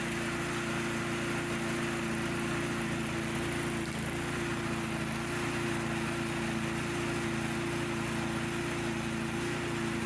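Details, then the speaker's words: Snowblower single-cylinder engine after cleaning the carburetor pilot jet to cure surging, test run before refitting the air box cover: steady, even drone with constant pitch and no surging or hunting; the engine is running smoothly. "we can now do a test run of the engine to ensure our repair was successful when the throttle is moved to the right the engine rpm should drop down to a nice slow idle"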